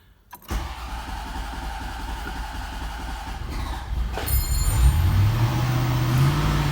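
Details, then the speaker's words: 1991 Corvette ZR-1 LT5, in neutral with clutch in: catches and runs a low, uneven idle, then labours and bogs as throttle comes in and quits; fuel starvation, owner unsure fuel or ignition, later fixed with a fuel pump replacement. "it's like it's not getting fuel"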